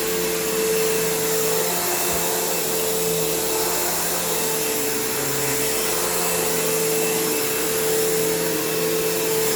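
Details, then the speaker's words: Kenmore PowerPath System vacuum on living-room carpet, just acquired: steady motor whine with a rough, uneven undertone, brush-roll flutter and a long wind-down. Tired motor; the brush roll needs work and the slack belt needs changing. "You can hear that long motor wind down, which isn't great. But the brush roll obviously needs some work, and the belt obviously needs changed, as does the headlight bulb."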